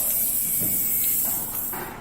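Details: Steady high-pitched hiss of air escaping through an open puncture in a car tire, before it is reamed and plugged; hissing stops once the plug is inserted.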